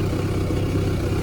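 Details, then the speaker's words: 2010 auction car, 129k mileage, just started: steady even low idle, no knocks, ticks or rattles; healthy for age and mileage, though coolant then seen. "Sounds all alright. No rattles. No rattles or funny noises."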